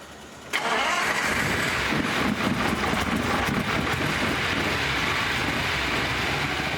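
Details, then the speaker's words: Sixth production Lamborghini V12, restored classic: cranks, catches, then lumpy uneven idle with a loose beat, not running on all 12 cylinders; plug leads pulled one at a time with pliers to find the dead ones; misfire on some cylinders. "I'm now just going to pull each lead off in turn. Now, that is making no difference whatsoever. You can hear the engine notice slightly rising there. It's thinking about it, but it's uh it's not happy."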